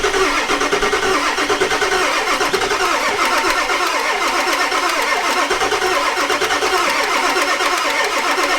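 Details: Ford E350 4x4 van, 7.3 liter diesel, first start attempt, one glow plug burnt off. Starter churns the engine slowly and evenly for several seconds, never firing; extended crank, no start; owner suspects glow plugs not held on long enough.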